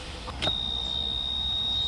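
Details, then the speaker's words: Glastron-Carlson CVX23 boat fuel system troubleshooting: electric fuel pump gives a thin steady high whine for about a second and a half without building, delivering no fuel; owner suspects nearly dead battery, later confirmed killed. Weak pump, low battery. "i don't think that thing works at all i think the battery might be almost dead"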